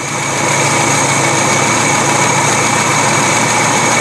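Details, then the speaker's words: Carbureted engine with replacement Weber carb, after mixture screw backed off half the turns that made it run rough: idle rises to a steady, even, smooth run; next step is setting curb idle to about 700–800 rpm. "a turn hear the idle come up at this point you can now put a tachometer on it and set your curb idle speed to match the car's recommendation somewhere between seven and 800 rpm"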